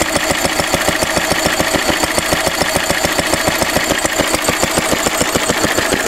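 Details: A 1942 Lister D-Type stationary engine, 12 spec 12 DH, 80 years old, cleaned out after standing a long time. Crisp, even single-cylinder beat at about three and a half per second with no misses or knocks; running sweet and healthy.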